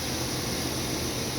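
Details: 2012 Chevy Suburban AC after recharge; the system was empty of Freon, vacuumed and refilled. About 30 low side, 200 high side, 85°F outside, about 40 inside: steady even whoosh with faint high hiss, no knock or squeal; normal compressor operation.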